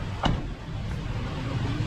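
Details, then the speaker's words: Petrol engine idling with check engine light blinking after DTCs were cleared: uneven, lumpy low rumble from a continuous cylinder 1 misfire (P0301); spark plug and ignition coil to be checked next. "so there is continuous misper in number one sitting there okay we already declared the DTC and we started the engine again and now it came back the check engine malfunction indicator uh blink again because of continuous misfire"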